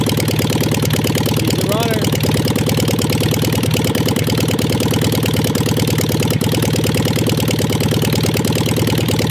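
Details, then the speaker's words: 1958 VW Beetle ragtop with 36 hp engine, sitting since 1983, cold start with a loose belt and no muffler: loud, raw, rapid exhaust pulses at steady idle with nothing damping them; missing muffler. "it needs a muffler but let's uh let's try to fire this thing up will it run cold start"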